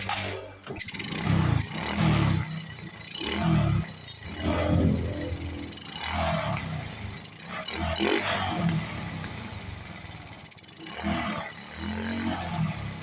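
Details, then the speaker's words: Honda RS 125 carbureted motorcycle, after draining diesel-contaminated petrol from the fuel system: it catches, idles and takes several clean throttle blips without stumbling; the no-start problem is fixed. "So yun mga boss. Okay. So na-solve na po ang problema."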